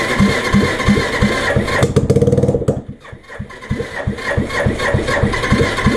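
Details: Suzuki GN250 single during reassembly, first start with mock-up wiring: thumps about three a second, a quick rev, a dip, then it settles into a steady lumpy idle; it runs fine.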